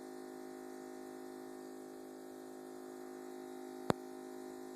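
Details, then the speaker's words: New Thermador KBUIT4865E05 48-inch refrigerator: steady, loud droning hum with several stacked low-mid tones while running, then goes quiet; owner thinks this is abnormal, cause unknown. "I don't think this is the noise it's supposed to make and now it's gone now it's quiet"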